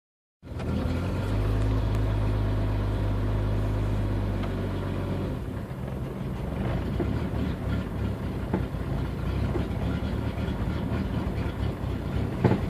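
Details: 1992 Jeep 4.0L six at idle: smooth steady drone turns ragged and uneven, an intermittent rough idle of unknown cause. Fuel pump recently replaced (fine for two weeks), fuel pressure a constant 10 psi if the gauge is correct, pump ballast 10.5 V; bypassing it and swapping MAP and AIT sensors changed nothing.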